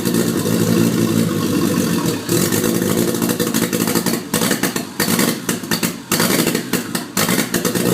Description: After swapping an JZX81 1JZ into an MX83 cressida it misfires and hesitates.